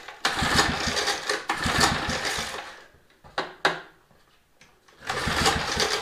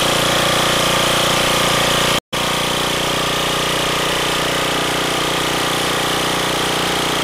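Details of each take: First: Mower, carburetor just refitted with new gasket, choke on: short bursts of firing that die away, catch briefly, then fade; fires but won't keep running, carburetor removed again. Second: Small engine on a roadside-found machine after repair (one wheel replaced, new lever made, engine oil changed, auger gear oil topped off) holds a steady, even drone with a fast, consistent beat; no misses or surging, runs normally.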